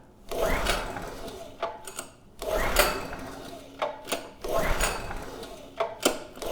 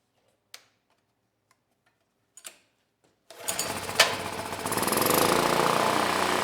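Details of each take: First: PowerMate generator (model PM0123250) after draining water, choke open: five slow recoil pulls whir with no firing; no start suspected from a spark plug boot not seating on the plug. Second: PowerMate generator (model PM0123250) that ran but made no power, fitted with a Predator AVR: after a few clicks the small engine fires and holds a steady, even drone. Voltage adjusted to 121 V, now generating normally.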